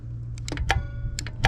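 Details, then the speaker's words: VW Jetta P0491 diagnosis, secondary air valve powered directly with a Power Probe, engine off: two crisp clicks about three quarters of a second apart over a low hum; air valve solenoid switching normally. "all right it clicks so that's a good sign"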